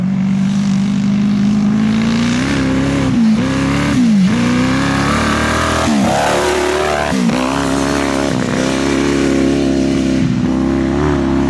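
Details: Honda CBR 1000 engine in an off-road buggy, driven after gearing and shifter fixes and several oil changes. Revs climb and drop but sound raspy and ragged, stumbling under load; not full power, a miss of unknown cause.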